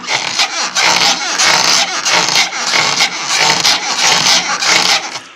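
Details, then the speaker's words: Honda CR-V RD1: rhythmic high creaking rasp; after replacing the upper arm the squeak was traced to a worn front strut mount. "понял что скрипела думала и верхний рычаг на его менял все он не скрипит нормально все это оказалось чашка стойки"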